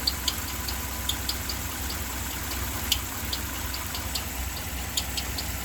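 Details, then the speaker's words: 2015 Ram 1500 5.7 Hemi at idle, belt removed, heard from underneath the truck, where the noise is louder. Light irregular ticks over a low idle; internal engine ticking, cause unknown, top-end parts to be removed. "no sé el motivo pero lo que sí sé es el ruido se escucha más por acá"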